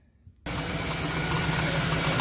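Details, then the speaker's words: Dodge 5.9 V8 van after a dealer replaced a seized belt tensioner, owner suspects the belt is too tight or misaligned: idle with a busy chattering rattle and a high chirping squeak from the new tensioner; being taken to the shop. "And you can hear that rattle in there and it squeaks. So, yeah, taking this to the shop."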